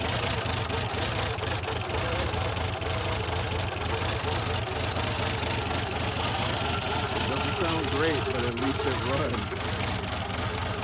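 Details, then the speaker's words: 1984 Buick Grand National cold-started for the first time in 28 years, after cleaning the air filter, reconnecting the mass airflow sensor and replacing a blown injection/fuel pump fuse: loud, uneven, stumbling idle with smoke; rough running, cause not yet found. "28 years i think we could call that a win for tonight i'll come back out tomorrow see if we can get it running a little bit better"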